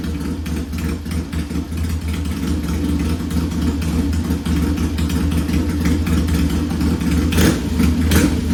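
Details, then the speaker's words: Vintage Triumph T100 bobber twin with top end rebuilt on an earlier visit, sump vent re-modified. Thumps evenly at idle and picks up cleanly on blips, no knocks or misses; smoke comes and goes, suspected internal: normal running. "so you can see it sounds pretty good. But the smoke comes and goes."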